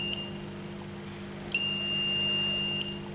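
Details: Ground wired directly to a smart circuit breaker (smart MCCB/RCBO) under test. A brief high beep, then a steady high tone of about 1.5 s as the device signals an earth-leakage fault error again. Roughly 155 V between neutrals and 30 V to ground.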